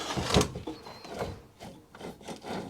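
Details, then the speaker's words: Wolf SNNC 425 P1 tool post grinder, sat about 30 years, motor shaft turned by hand: slow, gritty rasping in uneven bursts, a dry scrape rather than a smooth spin; the spindle feels fine but the motor bearings are probably shot. "that feels really rough this splinter the spindle feels very nice the bearings in the motor are probably shot"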